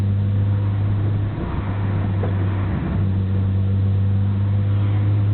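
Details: Nissan BNR34 Skyline, stock Getrag gearbox with Nismo clutch, windows open while driving: deep drivetrain drone with a loose clattering gearbox rattle, abnormally loud in 1st and 6th; shifting normal, oil change didn't help; overhaul considered.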